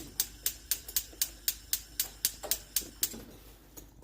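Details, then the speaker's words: Gas cooktop rear burner lights with a delay: sharp, even igniter clicks about four per second continue before ignition; a loose igniter was found underneath and replaced, after which the burner lit with a blue flame. "today we're looking at this cooked off the rear rate burner it's not lighting very well it has a bit of a delay"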